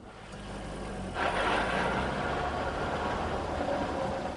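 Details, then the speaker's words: 2002 Corvette C5 Z06, front V8 with rear-mounted transmission: steady mechanical buzz and light rattle from underneath, rising briefly then holding; characteristic driveline noise, not a problem. "This noise is not an indication of a problem. It's a characteristic noise inherent in the driveline configuration of the Corvette."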